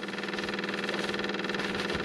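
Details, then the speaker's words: Skid steer after fuel filter change for water in fuel tank: battery and key on, engine off, electric lift pump fast even buzzing hum with quick regular pulsing, steady pitch, filling the new dry-installed filter. "crank it back up turn the battery on turn the key on and let the little pump fill it"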